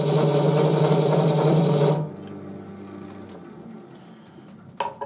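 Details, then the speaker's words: Wood lathe scraper engaged across its entire cutting edge: loud rapid rattling buzz as the whole wooden workpiece vibrates, stopping abruptly when pressure eases; scraper chatter vibration. "Le son que vous venez d'entendre, c'est la vibration. Toute la pièce de bois vibre."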